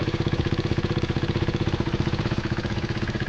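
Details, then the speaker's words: 2016 KTM Duke 390 BS3 (373cc), parked a year with engine issues, first cold start: single-cylinder idle with a rhythmic clatter about three beats a second, plus blue smoke. Cause unconfirmed. "This is the first start of the bike. The bike starts, but it's got a awkward weird noise from the engine, and there's also blue smoke coming out."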